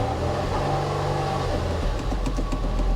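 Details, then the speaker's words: 1982 Cadillac Seville on a weak battery: engine catches, runs a second or two at idle, then dies; it stalls because the fuel tank is empty. "hold on oh she's out of gas one more but it does fire right back up yeah but if you look at the gauges there's no gas left in it"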